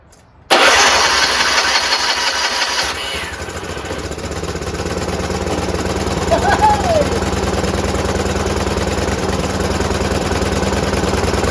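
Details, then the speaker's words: John Deere RX75 rear-engine riding mower after modified ignition switch, reassembly and new fuel line: catches after a short crank and settles into a steady, even low idle with no misses or knocks; runs well without carb cleaning. "wow that sounds great that's the lowest Idol right there that sounds great"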